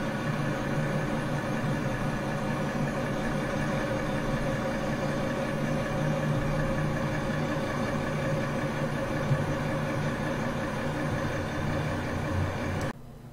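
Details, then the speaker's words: 1994 Monaco Executive 38 ft diesel pusher motorhome, started after sitting a couple of days: steady, even idle with a low smooth rumble, no knocks or misses; normal diesel idle. "here in a second I'm going to stop talking let you listen to the motor startup after a couple of days and you'll get to see what it sounds like"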